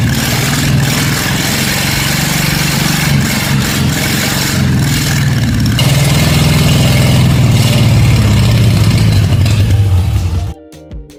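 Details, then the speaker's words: 1946 Plymouth P15 original six-cylinder engine after adding friction additive and swapping cylinder 1 and 6 ignition wires to cure a backfire: even, steady low idle with no misses or pops before shutting off cleanly; now running right. "That should fix it. Fire it up again. This engine, finally running right."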